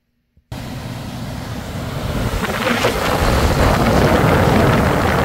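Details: HVAC blower after converting from ECM to PSC motor wired through a relay and capacitor, thermostat bypassed for testing: blower kicks on and spins up smoothly, steady rising rush of air with no rubbing, ticking or hum.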